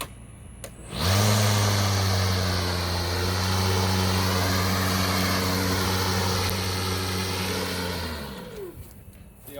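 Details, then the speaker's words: Milwaukee battery lawn mower that turns on but shuts off a few seconds later, handle held, also happens on a second new unit: motor spins up to a steady hum for about seven seconds then winds down by itself; motor cutting out, cause not confirmed. "see how it turns off i'm not letting go and it keeps turning off"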